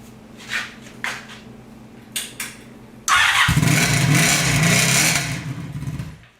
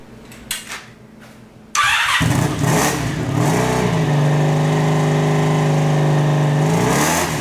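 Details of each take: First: Sabre cafe motorcycle with a new single-pipe exhaust, at idle after a few starter clicks: a harsh, ringing bark far too loud from the undamped muffler. A SuperTrapp muffler is to be fitted. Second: Sabre cafe motorcycle after fitting a new single-pipe exhaust repacked with fiberglass: starts, idles evenly and takes clean blips with a subdued, more tolerable exhaust note. The fiberglass later clogged the exhaust on the first test ride.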